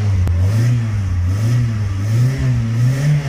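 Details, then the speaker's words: Stratus engine after new accessory belt and bolt fix to cure a belt squeal: revs rise and fall smoothly with clean low drone, no squeal; belt drive healthy. "fue lo que hicimos para reparar ese chillido y que el motor se escuche"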